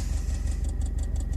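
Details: 2013 Subaru STI with upgraded injectors, Aeromotive 14134 fuel rails and Fragola 6000 hose: light rapid ticking under load, heard only inside the car, rising with rpm and stopping off throttle, timed with injector pulses; owner suspects an oscillating fuel hardline despite a damper.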